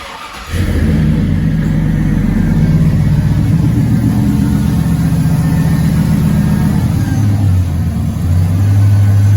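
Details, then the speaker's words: 1999–06 GM truck with a 4.8/5.3/6.0 V8 after installing stainless eBay shorty headers, GM flange gaskets and new Dorman bolts, with the driver-side downpipe flange re-welded: starts and settles into an even, steady idle, no ticking or exhaust leak. Normal idle. "No leaks, everything is good."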